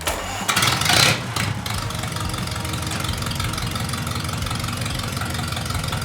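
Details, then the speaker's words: Ford Model B four-cylinder engine, pre-wired for a test run before fitting into a 1930 Model A truck; brief crank, catches on choke into steady slightly lumpy idle, healthy. "And we were in here sitting around looking at this little truck and we're like, man, it runs good, but you know, this is where it all starts."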